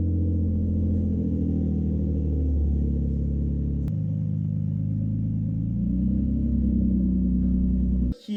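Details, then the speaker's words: Nissan 370Z with the exhaust removed for cleaning, straight pipe: very loud, deep, raspy drone at a steady idle with no muffling at all. "also this has now no exhaust on it so get ready for a straight pipe BQ hope you brought your earplugs"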